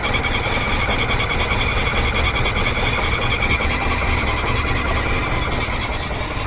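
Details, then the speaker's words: 2002 Proton Saga Iswara 12-valve SOHC 4G13 carbureted engine, 5-speed manual, after an oil change to thinner oil; uneven idle with fast, light ticking clatter; excessive valve clearance, exhaust loose while intake fine, blamed for the noise and poor performance. "oh man look at this this is what causing all of the V clatters yep there we go wow intake is fine intake is fine but exhaust man oh my God this is what causing all of the noise and the poor performance no wonder"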